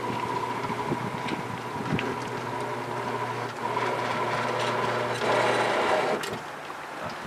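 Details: 1966 Thunderbird front power window motor bench-tested with switches and relays bypassed. Even low motor hum for about six seconds, cutting off cleanly at the down stop. Window motor running normally.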